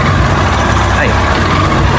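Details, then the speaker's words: Yamaha Fazer 250 single after its noisy engine got a new cylinder and was reassembled: steady, even, quiet low idle with no ticking or knocking; the engine noise is gone. "Caraca, mas ficou sem barulho nenhum mesmo. Incrível."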